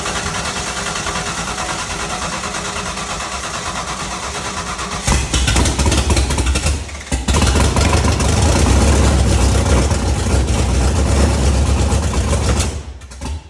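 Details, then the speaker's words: Freshly built home-built 5.0 V8 on first startup, running rough and uneven, picking up and steadying as the distributor is turned; timing mark shows it well retarded, firing after top dead centre, so it needs advancing. "so it's like way off so it's firing after top di Center we need to fire more before"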